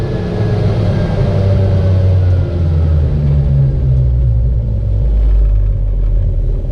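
Deep, uneven droning rumble that rises and falls with the revs; something sounds off in this small two-stroke, but the cause isn't clear.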